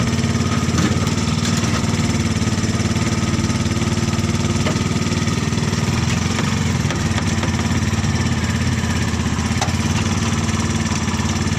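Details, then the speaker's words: Car powered by a motorcycle engine, engine coupled to the car transmission, idling: heavy throbbing low rumble from the coupling; suspected coupling shaft too long with no end play, jamming against the engine. "Jadi kemungkinan teman-teman ya yang membuat penghubungnya itu berbunyi karena dia terlalu panjang. Jadi dia mentok ke mesin teman-teman."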